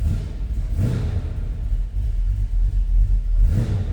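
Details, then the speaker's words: 1938 Chevrolet Master Deluxe Coupe street rod V8, 6,341 miles on odometer, just cold-started with temp not up: deep smooth rumble swelling and falling with quick throttle blips, no knocks or misses, oil pressure good, nice throttle response; normal revving. "Temp's not up, oil pressure looking good. Nice throttle response."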